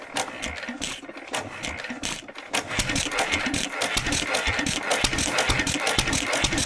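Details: 1927 IHC M single-cylinder hit-and-miss engine, restored 20 years ago, first run in 19 years; fires in uneven bursts with coasting gaps, running only on the starting bowl/starter fluid because the fuel pump diaphragm is failed.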